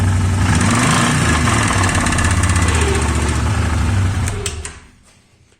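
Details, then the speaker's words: Stels Viking V-800 snowmobile that lay a long time on its right side after a rollover. It is quiet at idle, but when revved a rapid rattling knock rides the revs and fades as they drop. The noise seems to come from the front cylinder: rod bearing knock, teardown likely. "вот сейчас ничего криминального нету вот на холостом нету газу даешь"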